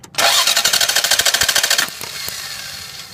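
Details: 1990 Lexus ES250 V6 that stalled while driving, fuel pump confirmed working: starter cranks steadily at about 200 beats a minute without catching; crank no start from the main coil feed wire, routed over the exhaust manifold, being grounded.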